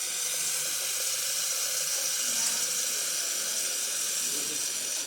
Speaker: So the machine functioning perfect, and if you hear that, the machine starts refilling right away after it, like the level of the water in the boiler getting down a little bit.